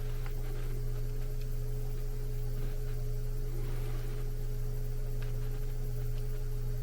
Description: Swapped out my PSC motor to an evergreen IM 6005 motor. Now my HVAC is whisper quiet.